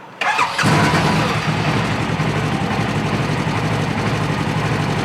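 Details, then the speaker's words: Polaris RZR 1000 with the other ECU put back in: cranks, catches within half a second and settles to a normal, even idle with no warning lights; points to the 2017 RZR XP 4 1000's ECU being faulty. "it runs perfect does okay so your ECU is jacked up"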